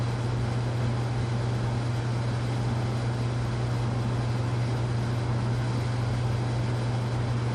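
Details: Casablanca Panama ceiling fan (K55-style motor) after bearing replacement and new flywheel, previously noisy bearings, starting in downdraft: steady even low hum with no scraping or ticking; normal ceiling fan running.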